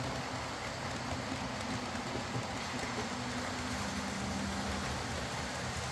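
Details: Old Lima Class 40 model locomotive in BR green, originally dead with front bogie issues, now on a completely replaced motorised chassis; quiet, even hum with soft track clatter, no surging or grinding, low current draw, smooth healthy running.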